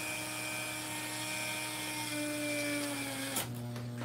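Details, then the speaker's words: 3-phase motor in a live capacitor-wiring experiment: strained whine drifting down in pitch, then a sudden catch and clatter as it stops. The pushed motor failed, ran red hot and locked up. "All right. You can hear that was going south. Obviously, this thing failed. And it's red hot."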